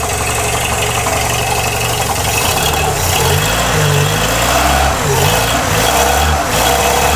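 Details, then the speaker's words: Peugeot 205 with refitted Solex carburettor, just started after swapping plug leads 2 and 3, coolant circuit still empty: lumpy idle hunting about twice a second, won't rev; idle, carb and possibly ignition timing still need adjusting. "c'est vrai on ti n'est pas fiable du tout du moteur ne prend pas de tour"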